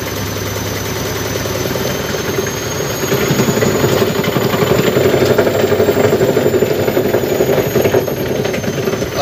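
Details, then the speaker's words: Front-loading washing machine before repair, during spin: hard, rapid thumping about four beats a second that grows louder mid-spin with strong shaking. Caused by a loose top counterweight above the motor. "Hai ini terjadi getaran keras ya ternyata ketika Spin saya coba cek nanti"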